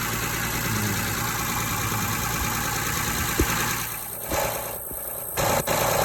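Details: Honda Odyssey at idle: steady idle with a constant hiss and an uneven light tick; owner suspects an exhaust or vacuum leak, unconfirmed, and checks pressure, which reads fairly high.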